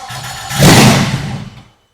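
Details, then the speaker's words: BMW E30 with a swapped Volkswagen 07K 5-cylinder, first start on starting fluid sprayed in the intake, fuel pump not priming: cranking, then a loud brief catch that roars and dies, blowing oil from a missing bolt; proves spark. "It runs kind of. Not yet. But, like, we know that it's got spark if it pops off a starting fluid."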